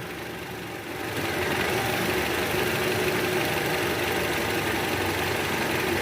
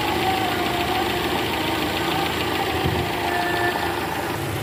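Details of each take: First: 2012 Toyota Camry 2.5 V, 2AR 2500cc, 106,000 km, at idle after balancer shaft replacement and tune-up: steady, smooth hum; the cold-start rattle from the oil pan area is gone. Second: 2012 Toyota Camry 2.5 V, 2AR 2500cc petrol, over 100,000 km, cold start in R: rough rattling "kretek" clearly heard by stethoscope at the oil pan, disappears when warm; loose balancer shaft, which was replaced.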